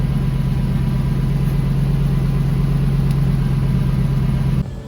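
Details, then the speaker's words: 2007 GMC Yukon XL at idle after a muffler side hole was sealed with muffler weld: a steady, even low hum with no puffing, ticking or hiss. The exhaust sounds sealed, exits the tailpipe and is the quietest it has sounded. "Actually, the quietest I think it's ever sounded. Coming right out the tailpipe like it should."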